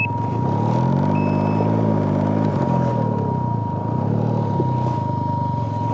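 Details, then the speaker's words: Can-Am Ryker: a steady, high-pitched fuel pump whine holds over the idling engine regardless of revs or fuel level and is getting louder; a known issue with no fix yet. "You can hear how loud that fuel pump is."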